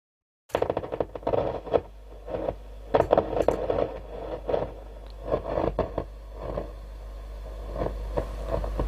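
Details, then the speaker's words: Valve radio bought at auction (Hacker Herald RP35 or Dynatron Gypsy) at switch-on: irregular scratchy crackles and pops over a low steady hum; noisy amplifier, suspected capacitor fault in the amplifier. "it's got the sound of dying it's got a noisy amp as well yeah we got a noisy amp"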